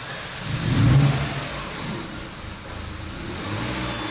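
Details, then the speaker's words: Peugeot 308 2.0 16-valve on ethanol, cold, after clearing fault codes and resetting parameters for a no-start: catches, flares briefly, then settles to a steady even idle within seconds; cold start and idle normal. "o carro tá frio nem a partir Depois de toda aquela bagunça né tá sempre cento no álcool e tá sem partida a frio ó ó mas já estabilizou a a beleza estabilizou"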